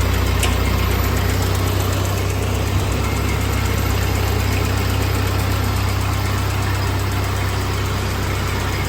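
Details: 1948 Ford 8N tractor on first start after a full engine rebuild, idling in neutral; its new carburetor still needs adjusting and a leak needs fixing. Low, steady idle at about four even pulses a second with no knocks or rattles, a normal idle.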